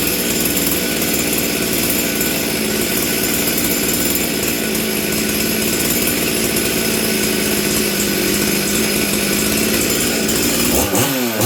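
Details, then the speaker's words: Stihl 044 Arctic chainsaw, low jet at 1⅛ turn and high jet at ½ turn after leaning the low jet: idles with a blubbery, uneven burble and occasional stumbles. Still running rich; an air leak is suspected. "this thing still sounds Rich to me what do you guys think"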